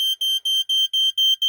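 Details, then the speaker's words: Code One React smoke alarm, small and somewhat beat up but working: shrill piercing fast-pulse piezo tone, about four beeps a second in an even pattern; alarm horn sounds normally. "It's got a fast pulse pazo. Oh, okay. Sorry about that."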